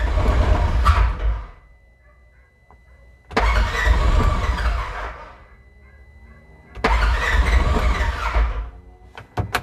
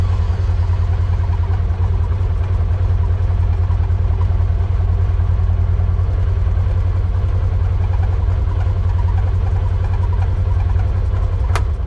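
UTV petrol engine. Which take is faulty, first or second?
first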